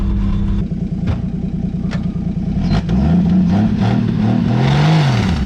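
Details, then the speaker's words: 1959 Edsel Ranger being driven after long disuse and repairs: the engine pulls up through the revs with scattered, irregular knocks from the front end. Front-end knocking while driving; the source is not identified. "I hear some here's something what's that something hitting up front I hope not I'm going to stop and turn it off"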